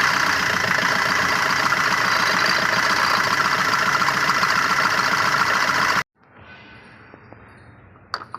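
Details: Fiat Punto engine running: busy regular ticking rattle at about three to four per second, cause not known, then shut off.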